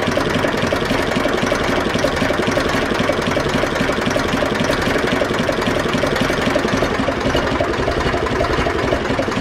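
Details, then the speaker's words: Zetor 4911 diesel tractor, sat in a dry shed over 10 years since last run in 2012 (engine renovated before storage), restarted after topping up coolant with no head leak; even steady idle clatter warming up, no misses or knocks, running sweetly. "top of the cooled we'll give another start okay let's get a bit of heat into it but uh running sweetly"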